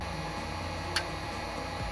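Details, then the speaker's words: Whirlpool/Kenmore dryer LE5700XSNO thermostat heated slowly with heat gun: single sharp click over quiet hum as it activates near 150°F (rated 155°F ±10%); normal thermostat switching. "As before, you will hear the thermostat click when it activates."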